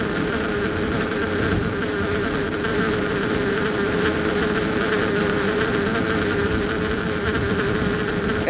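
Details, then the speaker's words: 2011-19 Ford Explorer at about 45 mph, mic against the windshield: loud steady kazoo-like buzz over road noise from the wiper cowl rubber flap detached from the plastic; wetting it with washer fluid stops it. Wiper cowl flap buzz. "But the problem here is this little flap. And now that I think about it, I hope I didn't ruin the noise for you guys. It literally sounds like a thousand small children blowing kazoo as hard as they can directly in your ear holes."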